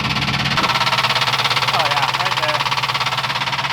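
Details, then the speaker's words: Ford Crown Victoria ex-police car V8 idles lumpy with an uneven stumbling beat of about three pulses a second, smoking raw fuel; it began running funky, then made a noise at a gas station. Rough running, cause unknown. "I have absolutely no idea what happened it just started running kind of funky and then I started at the gas station made a noise and here we are"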